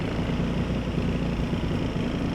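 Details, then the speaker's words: B20 CR-V engine swapped Honda Civic Wagon RT4WD, warmed up, timing set to 16 degrees: smooth steady idle around 850 rpm (target 750), no knocks or misses; idle fixed by timing and warming up. "I think we're good I mean it's not right at 750 but it's like like 850."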